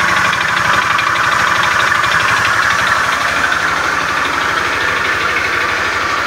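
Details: Beat FI scooter with a rough starter, idling in the workshop: a loose, uneven klotok-klotok knocking at about two beats a second, rough internal engine clatter. Cause unconfirmed.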